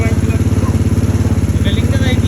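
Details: Single-cylinder motorcycle that would not start, running after a wet spark plug was replaced: even, quick exhaust pulses at roughly twelve per second with a steady beat and no misses; normal, clean running.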